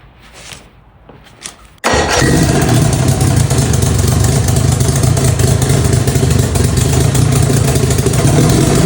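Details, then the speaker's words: Outboard motor after carburetor rebuild with modern gaskets, fed from a test gas can, no starter fluid: brief cranking catches quickly into a steady, even low-pitched run with no stumbling; bowls not leaking, normal start and idle. "Okay, the bowls are not leaking. It runs. Starts up. Great."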